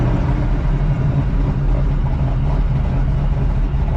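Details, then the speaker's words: 1985 Oldsmobile Cutlass Supreme V8 with a brand-new carburetor and headers, after driving with abrupt stops and turns without stalling. Even burble with a steady beat, no misses, knocks or hunting. A normal idle. "Lovely. Yes, that's what I want to hear. It's got a nice idle."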